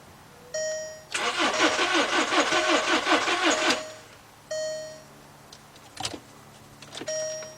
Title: Volkswagen Beetle NO START, Cranks But Will Not Start